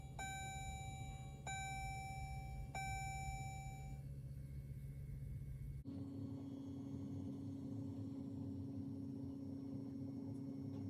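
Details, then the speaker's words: Diesel Jeep Grand Cherokee WK2 after fuel filter change, key to accessory: three dash chimes then a steady low electric hum for about five seconds; normal fuel pump priming buzz. "And then things start to kick on. And then you really can hear the fuel pump buzzing away."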